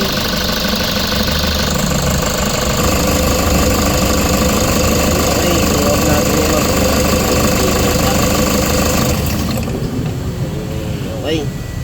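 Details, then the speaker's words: Toyota Hiace Super Grandia LXV van at 85k mileage, after replacing the alternator pulley: the engine idles, then shuts off quietly as the pulley stops at once instead of spinning on. Normal quiet shutdown. "Dapat talaga yung alternator pulley pagka ini-stop natin, titigil na rin siya, no? Kanina kasi umiikot pa rin eh. Ayan. Okay na nga."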